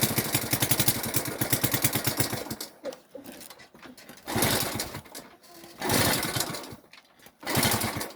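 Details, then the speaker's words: Delta moped, restart after a successful run: short bursts of rough pulsing firing that die out between pauses; fails to run; owner suspects a flooded plug, possibly too much air giving the wrong mixture. "Напевно свічку вже залило. Зараз уже не хоче заводити."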